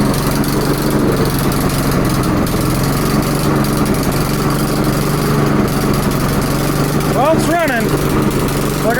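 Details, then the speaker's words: Lawnmower just serviced without proper tools. Uneven, lumpy idle that stumbles and wavers instead of holding steady; it runs only barely: rough running, cause not confirmed. "I said I'm their small motor guy at least now it's running barely"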